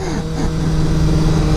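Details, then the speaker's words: Yamaha MT-07 motorcycle riding in gear near the top of the revs: steady high-pitched engine scream telling the rider to upshift, calming once shifted; high-rpm engine whine from over-revving. "the RPMs you hear it whining it's screaming too it's saying shift shift"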